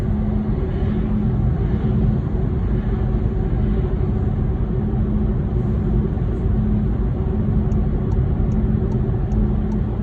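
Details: VW e-Golf while driving: heavy low rumble with a faint hum pulsing on and off, odd drivetrain noise of unclear origin.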